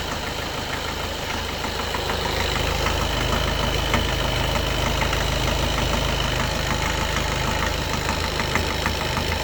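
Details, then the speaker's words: 2013 Skoda Octavia A7 1.6 TDI, 188,000 km, cold start: diesel idles unevenly and shakes hard, steady knock about twice a second, as if one cylinder is off; injector correction values show problems; knock disappears when warm. "Таке враження, що один поршень відключений. Но по корекції є проблеми. По корекції є проблеми. Так, нас трухає дуже сильно."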